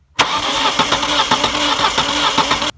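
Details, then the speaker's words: Saturn SC2 S-Series DOHC daily driver, starter cranking: lopsided beat with one compression stroke missing each cycle; cylinder 3 has zero compression (others around 160–200) from a burnt valve, likely from lean mixture. "I'm checking out my daily driver of my Saturn because it's missing on cylinder 3 and I thought it was low compression and just tested the compression and it's zero compression"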